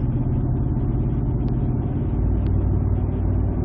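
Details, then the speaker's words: 2007 Ford F-150 5.4L 3-valve V8 on road test around 45 mph, fourth gear with torque converter locked, after fixing a loose cylinder 2 spark plug: steady, even low rumble with no stumble or skip; misfire cured, normal running under load. "so that's fixed look at that nice and smooth you gotta love the easy ones"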